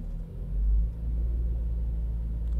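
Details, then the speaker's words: Toyota Avalon after injector cleaning for a cold-engine misfire on cylinder 1: smooth, even idle settled to about 800 rpm with no stumble or shake; misfire count now fine. "So ayan bumaba na. Nagnormal RPM na siya ano nasa 800 RPM. So mukhang okay na 15 RPM. Okay na to."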